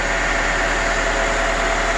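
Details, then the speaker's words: 2002 Honda Accord V6 after a no-start traced to a bad battery terminal: steady, even idle hum with an airy hiss, still running with a battery terminal removed, showing the alternator works; normal idle. "so i removed the terminal and as you can see the car is still running with the terminal out"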